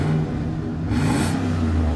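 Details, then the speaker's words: Chevy Express 3500 van, 6.0 LS V8, 201,000 miles, 4,400 engine hours: smooth even rev rising and settling cleanly, no stumble, knock, misfire or smoke; healthy engine. "this thing runs so good it's not misfiring no smoke whatsoever"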